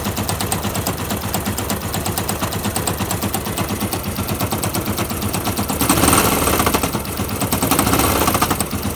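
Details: Fuel-injected Yamaha YBR125 with new piston and barrel, clutch basket checked: rapid, harsh machine-gun-like knock about three per second, louder as revs rise; owner reports random bad vibration on the road at all speeds, suspects bad engine, cause unknown.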